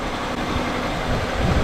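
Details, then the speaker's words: 1999 Honda Accord, just under 200,000 miles, running badly after a cold snap, with codes P0301, P0303 and P1399: an uneven, lumpy idle with stumbling low pulses. Cylinders 1 and 3 misfire and an intake hose is broken. "oh this hose is broke right here but that shouldn't make it idle bad look at the Idol's terrible"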